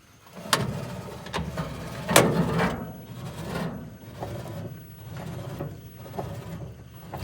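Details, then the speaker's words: GE top-load washer agitating a small load: worn suspension rods let the tub sag, so it strikes the base with rough thumps and scraping clunks that worsen; the mode shifter disengages with a delay before stopping. "trying to agitate now this is a small load motor belt everybody's hitting the bottom and it's gonna get even worse"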